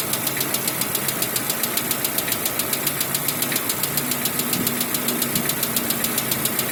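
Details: 2016 Lada Vesta 1.6 at cold idle: sharp, even metallic ticking several times a second over a light hum, a cold-start knock that goes away once warm; switching to Zic X9 5W40 oil reduced it, leaving mainly piston slap with hydraulic lifter tick heard less often.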